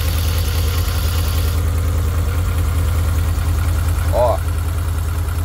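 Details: VW Kombi after sitting days in heavy rain, wouldn't start first time: loud, low, lumpy idle stumbling as if one cylinder isn't firing; owner suspects worn spark plug wires, second plug lead sparking everywhere. Misfire at idle.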